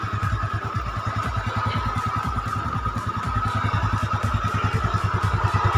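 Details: Yamaha Mio Sporty automatic scooter after a repair for oil consumption and a seeping block and head, now finished and no longer leaking oil. Even, regular single-cylinder idle beat with a slight rise in revs, smooth with no knock.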